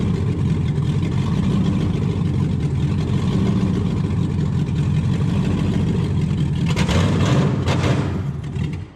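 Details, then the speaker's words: LS-swapped 1971 Impala that died on a light rev and then ran on only three to five cylinders: loud, ragged V8, beat stumbling and uneven as it revs. Misfire traced to a dirty ECU connector. "I went to just rev it up a little bit and it died and since then it only ran on like three four maybe five cylinders at most"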